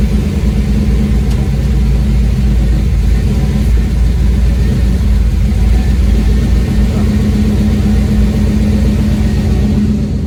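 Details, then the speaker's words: 1991 GMC truck after fuel system upgrade; steady low engine rumble with even beat, no misses or knocks; running normally. "That way you can hear the fuel pump and all that. Come on. Hopefully it'll crank up."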